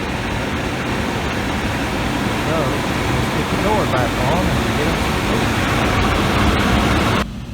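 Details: Outdoor AC condenser of a Comfortmaker gas furnace system switched on after the 24 V transformer was replaced: steady, even whoosh and hum with no rattles or squeals; normal running.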